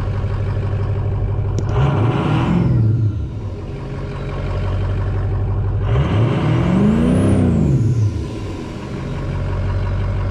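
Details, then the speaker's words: Ford 6.0 Power Stroke diesel after a no-start: debris cleared from the IPR valve and a loose FICM plug refitted. Two clean revs rise and fall smoothly from a steady idle with no misses or knocks; now running flawlessly. "yeah there you have it now now it's running flawlessly so if you're stuck in a pinch and your truck won't start your 60 Power Stroke won't start any year check your IPR valve"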